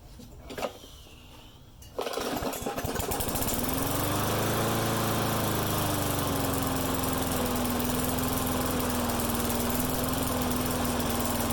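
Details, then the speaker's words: Mower with a start-and-die problem, air cleaner refitted after running without it: it catches, wavers up and down in speed, then settles to a slightly uneven drone. Owner suspects an intake air leak deeper in the system. "This is getting frustrating. I'm wondering if there's a leak somewhere deeper in the system."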